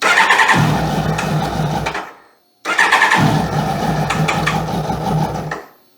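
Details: 2001 Kawasaki ZX12R barn find, stored about 20 years, with fresh fuel: engine catches quickly and runs with steady even firing for a couple of seconds each time, then cuts off cleanly; starts normally.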